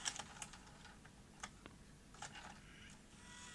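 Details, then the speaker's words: 1989 Sony EVS-1000E Hi8 PCM recorder, Sony U-mechanism deck: with front panel refitted, quiet irregular clicks and short motor whirrs as the deck cycles erratically, lacing up with tape inserted; traced to a misfitted flex cable. "what happened then it's just gone nuts again it's lacing up with that tape in there now eject please"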